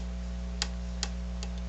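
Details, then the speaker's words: HR-J693U VCR with a faulty power supply: low mains hum with a faint irregular tick every half second to second as the supply keeps cycling instead of powering up, the cycling slowing over time. "It seems to improve with time. Like it it does seem to cycle uh at a slower and slower rate. Maybe at some point it's going to power up."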